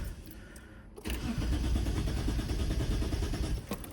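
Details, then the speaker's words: 1997 Mitsubishi 3000GT SOHC after injector swap; engine stalled intermittently, then after a quiet second the starter catches and it fires into a rough, uneven idle. Owner suspects the fuel pump; the stall itself is not heard. "All right, I had to put the Porsche keys up. And it died. It's so weird. It's intermittent."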